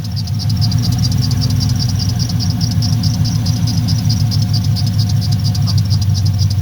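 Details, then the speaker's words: 1979 Pontiac Firebird, LS-swapped V8, after fixing misfire from plug wires touching the header by swapping plug-side boots from spare parts; deep even idle with steady beat, no skipped pulses, no arcing seen. "I'm gonna call that a win for free the best fixes are free fixes and this here was just Parts laying around"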